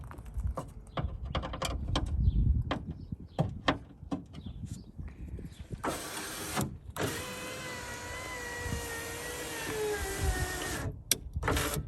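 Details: 2002 Suzuki XL7 passenger window after regulator replacement: after clicks and handling, motor runs about five seconds with an even whirr, no binding or grinding; window travels normally.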